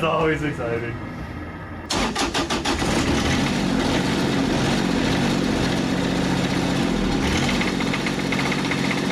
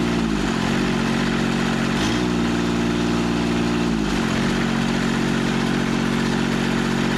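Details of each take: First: Kubota 3-cylinder diesel from a Carrier AC unit, pulled from a scrap yard, first start after fuel shutoff solenoid bypassed: cranks, catches, rough idle with light rhythmic knock over diesel clatter; engine knock, cause unknown. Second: Scrapyard Carrier AC Kubota three-cylinder diesel, restarted after sitting: steady even three-cylinder beat, smooth low drone with brief dip and recovery; runs cleanly on all three cylinders.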